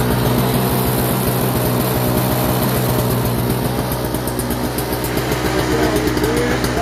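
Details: Toro CCR2450 snowblower, 141cc R-TEK two-stroke on mix gas, brought in as a no-start with a leak; after carburetor cleaning it runs with a steady, even buzz, a smooth firing beat and no misses over seven seconds, i.e. running properly.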